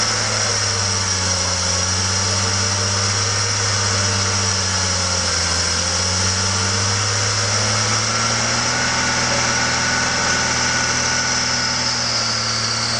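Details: BMW M54 engine (E46/E39) after curing sudden low compression, oil cap off to ease richness via PCV: steady smooth even drone with slight dip and rise in speed, no misfire or knock. Running normally again.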